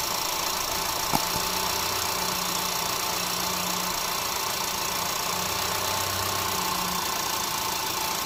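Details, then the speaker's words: 2010 Audi A3 Cabrio 1.2 TFSI (CBZ), about 99,640 km, first cold start after timing chain replacement, camera on engine: even idle with light steady hum, no rattle or knock; runs smooth and healthy. "Silnik chodzi jak zegarek"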